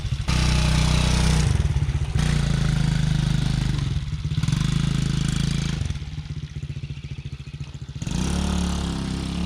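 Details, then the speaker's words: TaoTao Coolster 110cc youth ATV that was bogging and backfiring at mid and full throttle; after repair (a suspected kink in the fuel line) it revs up crisply and evenly with no popping or bogging, running strong. "This thing rips. Holy cow. Ah, it's going to be fun."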